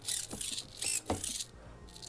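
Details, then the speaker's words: Pan-tilt hobby servos on a stereoscopic camera head, driven by an astable-multivibrator PWM with joystick potentiometers; mic on the right: short bursts of high gritty servo whirring with clicks, grinding and jitter from a jumpy circuit. "I've got the microphone on the right so you can hear the servos grinding the circuit's a little bit jumpy"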